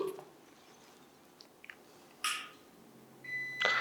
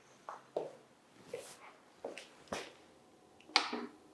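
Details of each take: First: მაღალი კლასის UPS-ების შემთხვევაში მნიშვნელოვანია გავითვალისწინოთ ფაზა და ნული ჩართვისას ხშირად უწყვეტი კვების წყარო გამოსცემს ხმოვან სიგნალს Second: Long-runtime UPS with two external batteries, power switched on: a few clicks and switch taps, then short steady beeps during normal startup self-test before green indicator shows standard operating mode.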